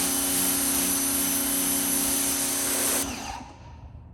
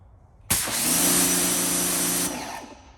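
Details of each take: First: New Suyncll pressure washer (claimed 3000 psi normal, 2.2 GPM) on first use with 10-degree tip, fed from a well: motor whines, cuts out and kicks back in every couple of seconds; can't hold pressure, low well water pressure suspected. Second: New Suyncll pressure washer, after being turned off and restarted during first use: steady even motor-pump drone without cycling or pulsing; the earlier on-off pump noise has stopped, cause unclear.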